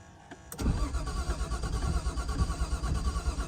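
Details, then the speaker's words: R33 Skyline RB25DET on fresh-charged battery, won't start: uneven lumpy cranking chug about three beats a second, knocking from the rear; owner suspects fuel pump, compression test planned (later poor result). "but what you can hear is that in the back some so like knocking there a like a knocking in the back for some reason I think I might have to whip the fuel pump out"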